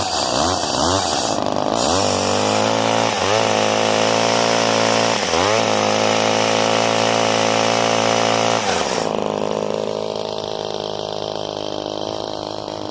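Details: Old Craftsman chainsaw with 18-inch bar, manual oiler and decompression valve, just cold-started: strong steady buzzing two-stroke note with brief dips as throttle is blipped, picking straight back up; running normally.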